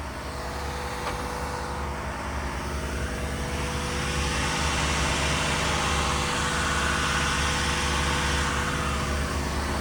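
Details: Diesel fire sprinkler pump on its weekly half-hour test, isolation valve closed: a loud, steady diesel drone at constant speed with an even low beat and rushing water noise, no knocks or surges; normal running.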